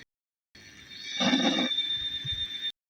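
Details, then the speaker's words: Homemade washing-machine-motor bike at 72 volts, 1000 watts: high thin motor whine surging and dipping unevenly, stuttering instead of spinning up smoothly, so it must be wound up slowly; owner believes too much power and suspects 48 volts would suffice. "it's kind of glitching a little bit but you can hear it glitching so i gotta slowly wind it up"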